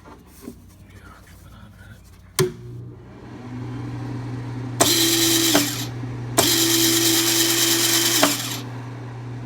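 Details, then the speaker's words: Craftsman 196.205690 welder: a steady low hum, then two loud whirring runs of the wire feed drive motor; it is loud but pulls wire fine, which is judged normal. "loud but I don't think it's like a problem you know I mean I think it's just the way it is it pulls just fine"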